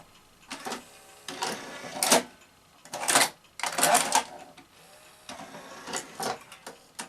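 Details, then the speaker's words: Sanyo VTC-MH5 NTSC Beta Hi-fi VCR after power supply repair, lacing: short whirring motor bursts with clicks at a sensible, steady speed. Normal cassette mechanism operation. "yes much better yes those motors are running at a much more sensible speed aren't they"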